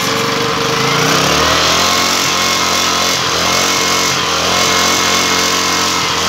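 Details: Long-unused Yasuka generator engine restarted after checking and adjusting the spark plug: a small petrol engine running steadily at constant high speed with an even, unbroken buzz; normal running.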